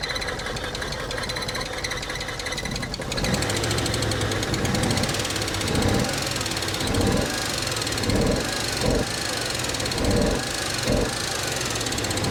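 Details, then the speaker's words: Abandoned Nissan R34 Skyline Neo engine, long unstarted, first start after fuel line repair: fires and runs rough with irregular heavy knocks and surges about once a second; lifter/tappet noise suspected, treated with tappet additive and injector cleaner. "It's still making noises, but it might be making a little bit less noise compared to when we first started."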